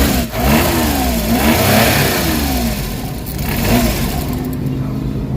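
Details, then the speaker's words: Suzuki DA64/DA63/DA17 engine: starts with strong vibration and shaking, stumbles, needs repeated throttle blips or it stalls. "So makikita niyo nag-start ng makina. So ang problema nanginginik. Lakas ng vibration."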